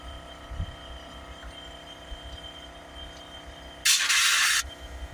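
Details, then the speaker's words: Ford Transit Custom diesel, cleaning fluid injected through the DPF pressure hose: sharp hiss of trapped pressure bursting back out of the line for under a second; fluid has nowhere to go, heavily blocked diesel particulate filter. "Now you usually know the DPF is quite blocked when you see that. What's happening here is the fluid has got nowhere to go and it's pressuring back out."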